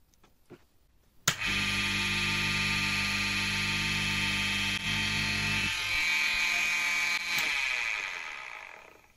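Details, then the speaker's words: Dishwasher pump motor with a capacitor connected, previously removed because it did not run at full speed and had water inside: it starts and runs with a harsh rattling crackle over its hum from a worn bearing, but works. "roulement. Ce crépitement ressemble à "trtrtrtrrrrrrrrt" mais ça marche."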